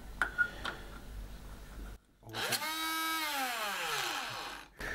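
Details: Car air compressor that won't pump: motor spins up to a high whine and winds down with no pumping thump; gear stripped and connecting rod broken, so it runs free.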